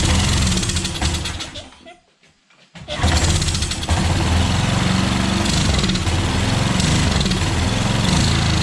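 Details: Pressure washer small engine with automatic choke. Dies away, then restarts into a rough, pulsing run that holds only on choke, which usually means a dirty carburetor, which is then taken apart.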